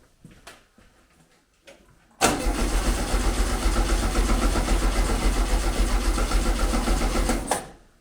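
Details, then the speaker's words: 1974 VW Beetle 1303S, 1915cc engine with 50cc heads, ITBs, Engle 120 cam, newly converted to Classic Fuel Injection UK EFI: steady starter churning about four compressions a second for five seconds, never catching; cranks but won't fire on first EFI start attempt, cause unconfirmed, battery going dead. "See, the problem is I've no way of cranking it really, and sounds like a job for another day, to be honest."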